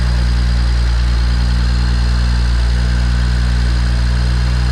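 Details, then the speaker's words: BMW 335xi N54 twin-turbo six on first start after installing Pure 600 turbos, VRSF relocated inlets and outlets, ethanol content analyzer, oil catch can and full exhaust: a deep, steady idle with an even rumble and no ticks, hisses or misses. Normal idle. "Corey's gotten everything put together, installed, and this is going to be the first turn on after all the parts have been installed. I hate you so much. Damn you. Oh, that sounds healthy as fuck."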